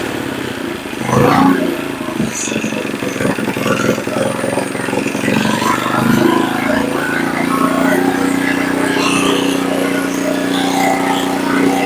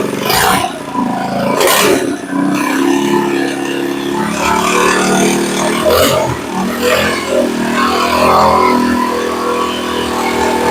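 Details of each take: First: Earthquake Versa tiller with new carburetor, after turning idle speed up to the correct setting: engine settles into a steady, even drone without rising and falling; governor cycling gone, stable idle. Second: Earthquake Versa tiller that sat a year, idling right after a carburetor replacement: engine speed rises and falls every few seconds with a harmonic, hunting because the idle was set far too low.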